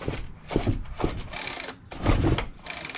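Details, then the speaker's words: Free roadside Craftsman gas line trimmer, unknown if it runs, slowly hand pull-started: uneven whooshing strokes each with a firm thump of resistance; feels like good compression. "so it does so it feels like it's got good compression"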